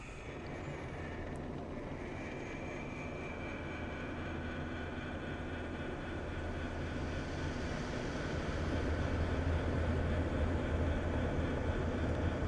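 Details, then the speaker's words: Airscape whole house fan in attic after broken lid actuator repaired: steady low drone building smoothly as fan spins up, no rubbing, rattle or squeal; actuator now opens lid, fan running properly. "Yes, that is wonderful. So, that little device just turns that rod, which opens this lid."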